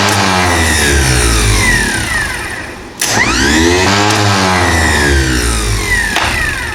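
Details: International 2510B loader tractor starter bench-tested after repair: the motor whirs up to speed and winds down cleanly, with a light rattle from sitting loose on the bench. The starter motor spins normally.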